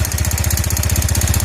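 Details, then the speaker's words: Yamaha Jupiter Z motorcycle before restoration, engine idling; loud, fast, steady clacking knock over a rough single-cylinder idle, with no smoke. Piston slap, engine to be torn down. "Nah, suaranya seperti ini, berisik banget. Ini suara pistonnya parah sih."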